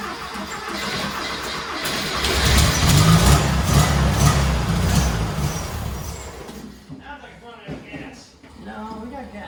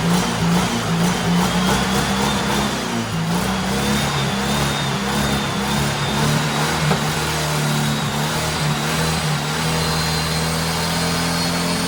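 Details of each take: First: Turbo rat rod Porsche 930 on a new carburetor after sitting about eight or nine months; catches, surges and runs roughly then dies, won't hold idle; owner suspects fuel starvation, fuel pump already turned up to maximum. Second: Turbo rat rod Porsche 930 on a new carburetor after battery charging: strong, steady note rising as revved, no misfire, reaching about eight to nine psi boost; running healthy.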